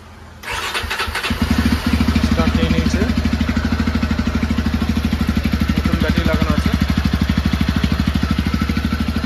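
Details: Jawa 42 motorcycle after battery replacement: engine catches promptly on the electric starter and settles into a steady, even idle. Before this, the old battery's voltage sagged and the bike would not self-start.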